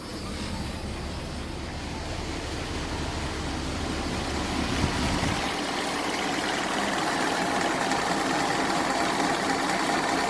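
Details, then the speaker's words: 1986 Ford F250 with the 460ci 7.5L V8, idling with air conditioning on max. The engine visibly shakes and gives an uneven, lumpy beat, a rough idle; the owner says it definitely has a miss. "Now, you can see, I know it's probably noisy, but you can see that the engine is definitely got a little bit of a shake to it. So we've definitely got a miss."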